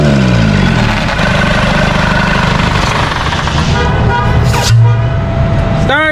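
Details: Isuzu D-Max 4GH1 diesel, converted to mechanical injection, idling after a new injection pump was fitted to cure hard starting and a rough idle. A deep, steady rumble with an even beat and no stumbles or misfires; normal idle.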